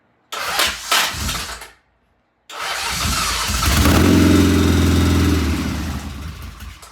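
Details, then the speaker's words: 1975 Norton motorcycle, first start after rebuild and timing readjusted to the proper mark: short crank, then catches, swells to a brisk even beat and settles; clean start and steady running. "We have a run. We have a runner. We have a run."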